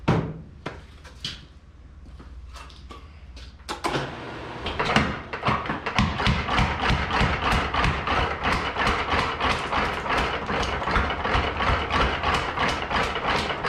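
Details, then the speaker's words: Little Giant trip hammer after replacing the broken toggle link: starts up, steady blows about three per second with a loose clatter after each; working but loose where the toggle T's meet the ram, pivot joint needs refitting. "I am detecting some loose and floppiness in the where those T's are contacting the ram."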